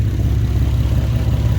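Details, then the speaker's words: Nissan 370Z after intake install, idling: deep exhaust note with a rapid, even chopping/chuffing pulse from a leaking flex pipe on the Y-pipe, which is to be replaced. "all right everyone so I found out my my exhaust leak it is my flex pipe the flex pipe right here is leaking that's why you hear that chopping noise"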